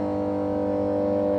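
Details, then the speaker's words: Power transformer at a substation, heard while approaching: a steady low mains hum with overtones that swells and fades, normal magnetostriction hum of the laminated core that varies with voltage. "तो उसमें magnetic flux produce होता है। तो core के expansion [संगीत] जब मतलब course फैलती हैं और सिकुड़ती हैं तो यह हैंगिंग साउंड हमारा बढ़ता और घटता है।"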